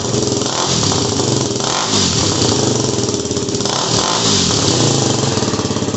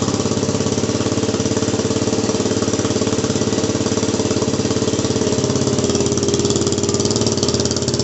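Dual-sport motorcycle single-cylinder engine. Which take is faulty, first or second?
second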